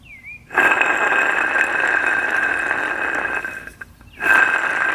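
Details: Goldstar window air conditioner fan motor, old motor removed for replacement, spun by hand; rough gritty whir with thin steady whine and slack in the shaft from bad bearings; worn motor bearings.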